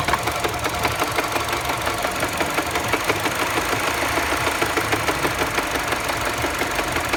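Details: Mini Cooper at steady idle with a light, uneven tapping about three times a second; engine knock present, source not pinned down.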